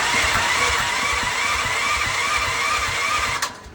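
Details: Westinghouse WGen10500TFc tri-fuel generator on natural gas, hard starting since purchase: starter cranks steadily, about 3.5 pulses a second over a whining drone, without catching; takes repeated attempts over about 5 minutes, then runs normally.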